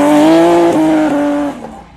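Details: Motorcycle disc brake squeal: loud, steady high squeal for about 1.5 seconds, fading as the bike slows; contamination of the pads is given as the usual cause of squeaking brakes.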